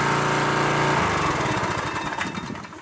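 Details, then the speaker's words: Craftsman pressure washer (Briggs & Stratton 6.75 hp) after carburetor clean and oil change, running to circulate new oil: even thrumming beat, then coasts down at shutoff; runs normally. "now this machine runs like it's supposed to"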